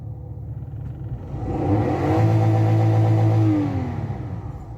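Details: 2011 Toyota Belta after repair of cylinder 1 misfire (code P0301, reversed coil wiring swapping 12V and 5V): engine picks up cleanly on throttle blip, holds an even note and settles smoothly, running on all cylinders.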